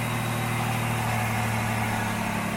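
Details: 1993 Pontiac Firebird 3400 V6 after replacing the serpentine belt and idler pulley, with a temporary vacuum-leak fix. Even, steady idle with a smooth low hum and no chirp, squeal or ticking from the belt drive; normal idle.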